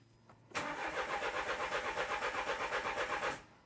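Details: 2013 Renault Scenic III 1.5 dCi (K9K636) with four new injectors. The starter churns steadily for about three seconds without firing: cranks but won't start. Rail pressure falls away once the injectors are connected.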